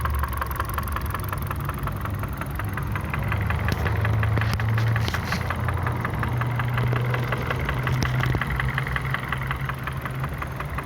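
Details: Kia Ceed 1.6 four-cylinder at 62,000 km, idling with a light, irregular ticking knock over steady hum; cause not yet pinned down.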